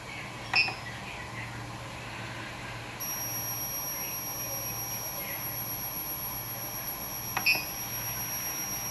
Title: coil whine sound on PSU